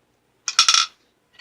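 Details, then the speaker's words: TH350 transmission rebuild, valve body check: a bare valve, with nothing else installed, is shaken end to end in its bore with a finger over the hole, giving a sharp metallic clack and light clink; valve moves freely, which it must or the transmission won't shift right. "This valve is moving freely. You want to check all the valves. That's really important. They got to move."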